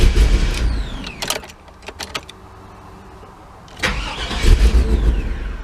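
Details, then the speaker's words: 1998 GMC OBS truck with intermittent starting problem: engine cranks, catches and dies within a second, then restarts after wiggling wires; start-then-stall. "It'll start right up, but like I said in my video that I'm making now, after a while that probably won't work."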